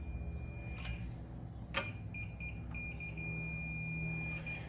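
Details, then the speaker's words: Mule repowered with a new Vanguard engine, chassis grounding problem being traced: steady high continuity-tester tone, briefly broken then held, confirms a good ground at the engine where the main ground is attached. "Okay, I hear it. I have ground on the motor."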